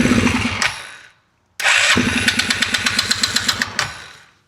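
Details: Polaris RZR 170 that sat about 5 years, bought non-running and needing a starter, restarting after it stalled on its own, smoky. It cranks, catches after a pause, then runs loud and lumpy with sharp ticking about four per second. Owner hopes the noise is exhaust but it sounds knockish.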